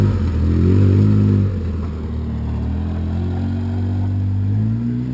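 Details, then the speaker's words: Polaris Sportsman 700 EFI after a new Carter fuel pump replaced a failing one: the engine revs up strongly, then settles into a smooth, steady drone with no misses or knocks; normal acceleration, much smoother than before. "right so that sounds so much better that sounds so much better yeah smooth"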